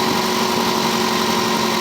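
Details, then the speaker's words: 1985 Cadillac Cimarron, all-original, 43,000 miles, base 2.0L four-cylinder, new battery, idled down warm: steady, even hum with no knocks, misses or ticking. Owner noticed a tube has come off and needs fixing. Normal idle. "great although i did notice that tubes come off i need to fix that brand new battery brand new tires no leaks no kicks gm one wire elevator but now she's idle down nice and smooth"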